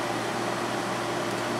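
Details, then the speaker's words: GE 8,100 BTU window air conditioner from 2014 with a KB fan motor and Gree compressor: smooth, constant airy rush from a fan spinning fast on all speeds, with no rattle, scrape or wobble. Normal fan running. "fan definitely does spin pretty fast on this one on all speeds"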